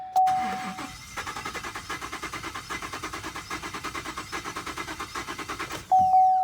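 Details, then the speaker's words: Relative compression test while cranking: the starter spins at about eight beats a second with one light beat per cycle, a large gap on the trace; one cylinder has no compression. "You can see the gap right here. It's huge. Um, so it doesn't warrant me to do anything else. There's a problem with that cylinder."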